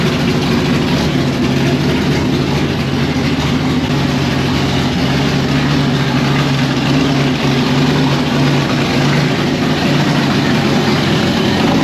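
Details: 1992 Fox Body Mustang with swapped 351W 5.8L V8 and Holley parts, timing reset to 10° static from 12°: loud, lumpy, uneven idle with a whir on top, still unsettled; shakes a little less than at 12°, which gave a messy idle.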